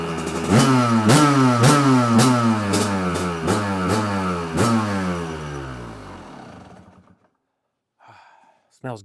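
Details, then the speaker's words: 1993 Kawasaki KDX200 two-stroke dirt bike, first start after new piston and top end (first piston change after 30+ years, history unknown), started on choke: crisp ringing engine picks up cleanly on quick blips, then drops back and shuts off; healthy fresh top end. "choke on gas on we're all buttoned up let's start it up right let's see if it it starts right up"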